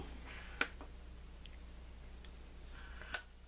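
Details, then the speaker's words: M-14/M1A gas system, rifle tilted after cleaning: two crisp metallic clacks about 2.5 s apart as the stainless piston slides freely in the cylinder; it is clean enough to cycle reliably on semi-automatic. "hear that tank that's the Piston sliding back and forth as long as you hear that it's clean enough it'll it'll it'll right on semi-automatic no problem at all"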